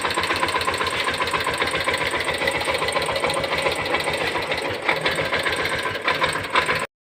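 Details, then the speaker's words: Motor that would not run had current reaching it but was seized. After repair (removed, cleaned, new brush set and armature fitted) it runs normally: steady buzzing whir with an even ripple about 220 per minute, no scraping or grinding, then stops cleanly. "ඉතින් මෝටරේ ගැලෙව්වා සුද්ධ කරා brush set එකක් දැම්මා. ආමචරයකුත් දාන්නට වුණා."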